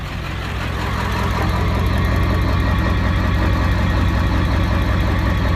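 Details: Ford 7.3 diesel with 238/100 injectors idling on stock tune with heavy, uneven lope pulsing roughly three times a second; rough idle.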